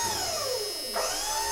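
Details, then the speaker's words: 1994 Ford F-Super Duty dump truck, electric-over-hydraulic bed, sat for years: pump gives a steady high electric whine that dips briefly and recovers, but the bed doesn't lift; owner suspects low hydraulic fluid, unconfirmed. "But, the bed doesn't do anything. So, it may be something as simple as it being low on hydraulic fluid or something like that."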